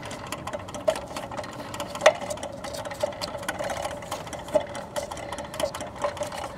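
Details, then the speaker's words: 1947 Philco 46-1226 radio phonograph, shaded-pole turntable motor freed after fan blade found spinning loose on shaft: light steady whir with small mechanism ticks, no grinding, runs smoothly with good torque. "listen to that smooth quiet operation [Music] wow it's got some torque man boy this is exciting"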